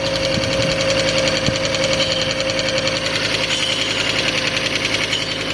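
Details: Fiat Stilo Abarth, water-damaged and stored a very long time, warming up: rapid, light metallic tick of about three or four a second over a steady idle from the top end; ticking blamed on long storage, not confirmed.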